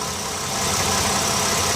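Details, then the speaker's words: 2016 Toyota Sienna L wheelchair van with 3.5 V6, 61k miles, heard under the open hood; even, quiet idle with a steady hum and no ticking, knocking or stumble; normal idle. "let's pop the hood so you can listen to it run underneath the hood has a 3.5 v6 at idle smoothly"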